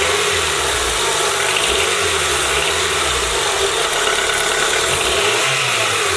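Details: Car engine after a first-time valve cover gasket job, done because of oil in the spark plug holes, and with the power steering now working: steady, even idle under heavy background hiss, no knocks, ticks or misses. Normal idle.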